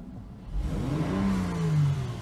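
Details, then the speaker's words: Honda Pilot engine, still cold, after two replacement injectors were cleaned and fitted: a clean throttle blip whose pitch climbs and falls back smoothly with no stumble, zero misfire at low or high rpm, running the best it has yet. "I'm very very happy to report that this thing is running the best it has yet there is zero misfire at all in the low or high rpms see perfectly smooth I"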